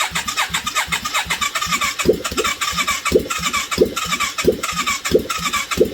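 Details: 1989 Yamaha Virago 535 V-twin, first test start after 4 years parked, carbs fitted, no exhaust, on full choke with a bit of throttle: uneven open-pipe banging about ninety pops a minute, running rough but alive.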